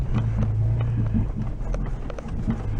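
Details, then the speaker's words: Toyota FJ Cruiser in four-wheel drive, low on fuel, driven slowly: low road rumble with scattered hollow clunks from underneath over bumps; owner suspects the gas tank straps, not confirmed. "And if you can listen. I don't know if you can hear it well on the camera. Here's some clanking."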